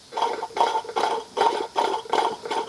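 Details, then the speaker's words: RV on-demand water pump, motor shaft turned by hand with motor assembled to pump: slow even strokes about every half second, soft wet chuff as the valves open and close; pumping normally. "here's the motor part assembled to the pump and you can hear when i'm turning the motor it actually does the pumping motion"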